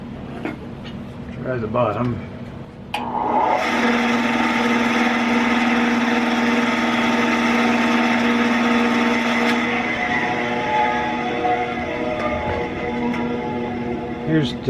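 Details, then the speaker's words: Craftsman 10-inch band saw, owned 10–15 years, just fitted with a new drive belt, covers closed: steady low hum at one pitch under the running noise, unusual for this saw; owner suspects the bottom, maybe belt not worn in yet, unconfirmed. "it's making kind of a humming sound that isn't what i'm used to see if that's in the top"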